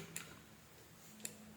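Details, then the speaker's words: 24V 2A UC3842 flyback SMPS on a series lamp: faint sharp ticks about one per second as the IC keeps turning on and off in reboot (hiccup) mode, output only fluctuating millivolts; indicates a secondary-side short. "IC reboot mode में है। IC on हो रही है, of हो रही है, on हो रही है, ऑफ हो रही है। तो इसका मतलब है कि कुछ शॉर्ट सर्किट है सेकेंडरी में।"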